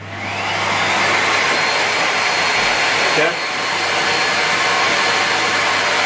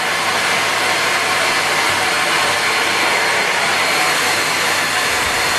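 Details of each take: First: Broken Miele Complete C3 vacuum cleaner motor running, compared against a working Miele: a loud, steady rushing roar with a harsh, rasping, saw-like edge and a brief dip midway. Abnormal motor sound; the cause is not stated. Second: Miele vacuum cleaner plugged in and tested: steady, even high-pitched air rush and motor hum with no rattles or pitch wobble; sounds like it's working properly, unlike the other unit.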